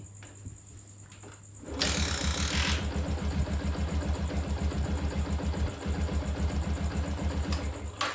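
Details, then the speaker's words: Yamaha Jupiter MX motorcycle starts after the fault was fixed by reseating a loose pulser cable socket whose signal wasn't reaching the CDI; engine catches and settles into a steady, even idle with no misses or knocks, healthy. "Ya teman-teman ya, ternyata pengidentifikasian kita hari ini ke motor Jupiter MX ini telah usai ya teman-teman ya, sudah berhasil."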